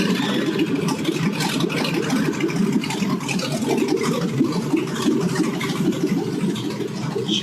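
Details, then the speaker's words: 2006 Chevy Silverado first start after a 4L60E transmission rebuild, with no coolant and open manifolds before the stock muffler is fitted: loud, raspy, steady rumble with no knocks or misses; healthy running. "Moment of Truth see if it starts can't let it run too long cuz have any I don't have any coolant in [Music] it"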